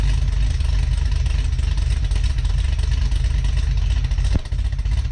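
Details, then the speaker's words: Cadillac CTS-V on stock muffler setup, recorded from the rear at first start after build: deep lumpy idle with uneven chop, about three pulses a second, swelling on blips; a healthy engine with an aggressive cam, some tapping noted. "what do you guys think comment below does it sound good you guys like the look thump that it has on a stock muffler setup that is a nasty nasty little cam"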